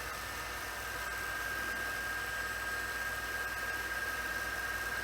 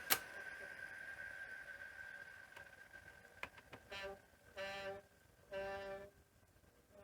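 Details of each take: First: Sony SL-C5 Betamax after playback idler tyre repair and torque setting check: quiet, even fast-forward whirr with faint steady whine and light hiss, no scraping or thumping; transport runs smoothly, slight noise possibly from the cassette. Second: Sony SL-C5 Betamax: after pressing stop, short squealing rubs about half a second each repeat over a faint hum; the playback idler tyre is suspected of rubbing on the take-up spool.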